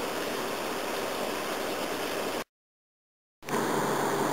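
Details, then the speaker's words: Fujitsu single-stage heat pump on a 2.8°C night: a steady rushing roar drops out briefly then surges back louder as the unit ends defrost and kicks back into heating mode. "there we go it's back to heating again it's not too bad in here that's funny it made me jump when it kicked back into heating mode"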